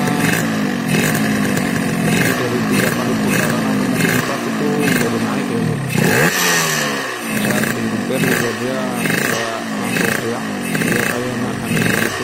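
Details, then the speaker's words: Yamaha RX King two-stroke carburettor bike: repeated throttle blips with revs climbing unevenly and a burbly stutter off idle, sputtering as the throttle opens at low revs; rich running from an oversized pilot jet. "video Hai kondisi atau gejala saat motor atau karburator pilotnya terlalu besar ya atau terlalu boros Tuban bakarnya di putaran bawah ya gejalanya berupa telur gejalanya merebet saat kita geber di saat kita mau berbuka gas tuh dia merebut ya"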